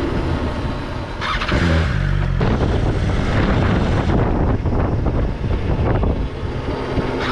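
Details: 2020 BMW S1000 XR in for recall service: the engine falters and dies as the bike slows with the clutch pulled in at low speed, then catches again. It is avoidable by slipping the clutch slowly; cause not confirmed.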